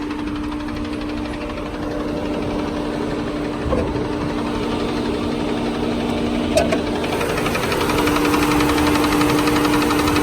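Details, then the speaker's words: Ford Freestar 4.2 L V6 (reportedly about 220,000 miles) at a smooth, steady idle with a light, regular tapping. It began right after a new transmission was installed. No warning lights; rod knock is doubted. Source not pinned down. "it's idling dummy dead on it's smooth but as you can clearly hear its tapping"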